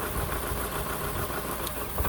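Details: 2006 Toyota Camry XV30, coil pack diagnosis by unplugging connectors: lumpy uneven idle with stumbling low pulses and the engine trying to die as one cylinder is cut, misfire from the disconnected coil.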